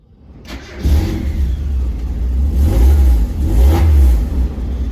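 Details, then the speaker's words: Mazda Miata started with the catalytic converter removed: deep, booming, raspy open-exhaust drone that swells as revs rise. "you hear that that sounds bad yup i think now that the cat's out of the car i think it's customary to start up the car with open exhaust this is going to be stupid"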